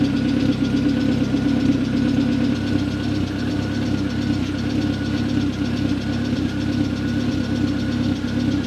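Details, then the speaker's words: Mk1 Ford Fiesta converted to a 2.0L Zetec, exhaust measured too loud; phone sound meter reads about 84–88 dB at idle. A steady, even idle with a heavy, booming drone throughout, far louder than stock; another silencer is to be added, aiming for the mid-70s dB. "so I'm going to set my phone up now we're going to start the engine up we're going to measure the exhaust and see what it sounds like how loud it is according to my phone I'm going to try and make it less"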